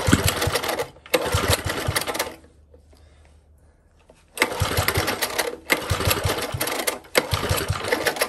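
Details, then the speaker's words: Old Tecumseh four-stroke edger engine runs in rough bursts, dropping out and picking up again as if fuel-starved; surging and cutting out, owner suspects a carburetor blockage and plans to open the main jet. "a bit more fuel and it might also need a little bit of a tweak a little bit of a tune you can try and open the main jar up and that should allow more fuel through it might even clean up whatever the issue is"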